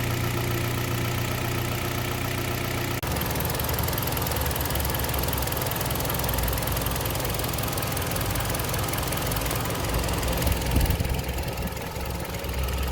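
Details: Warm engine idles and revs cleanly with no knock on a Kia Sportage 3 at 122,000 km, after service: oil changed Shell 5W30 to NGN 5W40, throttle and injectors cleaned, filters and partial ATF replaced. Dull metallic knock gone; timing chain replacement due in a week.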